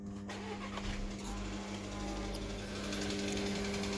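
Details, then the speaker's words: VW 1.4 TSI CHPA engine, cold start at idle: sharp rapid tick from the top end that fades and returns; driven 800 km with it, oil level normal, cam phasers and cover bolts found tight and dry; hydraulic lifters suspected, not confirmed. "слышно, как идет стук. Не знаю, откуда он идет, но откуда-то прямо вот отсюда сверху. И то притихает, то увеличивается."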